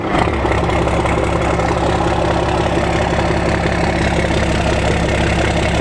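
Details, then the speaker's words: 1991 first-gen 12V Cummins 5-speed with VE injection pump, cold start: fires right away and settles into a steady, even diesel clatter at idle with no misses or knocks. Normal cold start and idle. "you just cannot be a first-gen in the way of first gen starts it is just those ve pumps man they just light up so quick"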